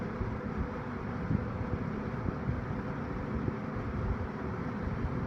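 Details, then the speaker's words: Eskimo box fan model 201083, after cleaning and reassembly, running on low and still speeding up: a steady airy whoosh over a low rumble with a harmonic whine from the grills and no ticking, scraping or wobble. It runs smooth and even. "Really nice and quiet. hear that harmonic wine grills. Not bad."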